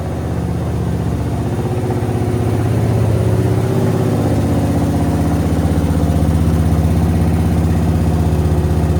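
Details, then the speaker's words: Suzuki VS1400 Intruder V-twin after carb work, both carbs full, fuel pump re-primed: steady, even lumpy idle thump with no misses; both cylinders now firing, normal idle. "Oh, I think we're getting two. I think I'm hearing two cylinders started. Oh, listen to that. That's two cylinders. That's two cylinders."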